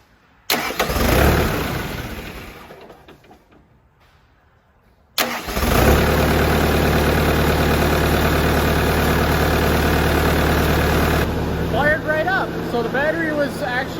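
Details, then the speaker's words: Car that would not start because of a bad battery terminal connection, after the terminal was redone: short crank, catches immediately and settles to a steady, even idle; starting normally. "in charge it just simply wasn't making a connection and therefore wasn't starting so we are ready to go on to the next project"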